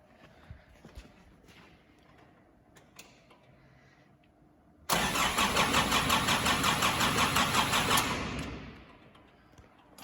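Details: 2005 Nissan Navara D22 with a crank-no-start from electrical interference, new timing chains and injector pump, cranking with the injector pump disconnected: even, strong cranking pulses around 170 a minute; normal cranking.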